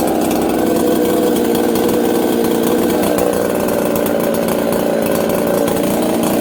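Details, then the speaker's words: Husqvarna 266XP chainsaw, stone-cold start after chasing an on-off running fault blamed on an aftermarket carb: starts and settles into a smooth, even idle with no stumbling, surging or dying; healthy steady running. "hey okay listen how it just settles down idle and goes about his business"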